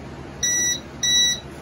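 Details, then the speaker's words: Creality LD-002R resin DLP 3D printer homing the Z-axis for bed levelling: two short high-pitched beeps about half a second apart over quiet room hum as the build plate hits the bottom; normal. "so as you can hear it beeps when it hits the bottom and i'm gonna bring it up just a little"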